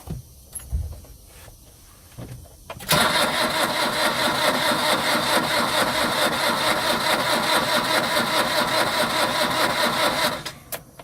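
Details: Long-sitting old diesel truck, glow plugs heated, lighter gas fed into the intake: about seven seconds of even starter cranking, roughly two pulses a second, then it stops without firing; cranks but won't start, smoke seen.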